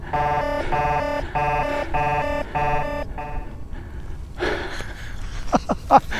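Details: Gotway MSP 18-inch electric unicycle climbing a steep mountain hill under heavy load, temperature alarm already triggered: five sharp, even beep bursts about half a second apart, the overcurrent warning sounding.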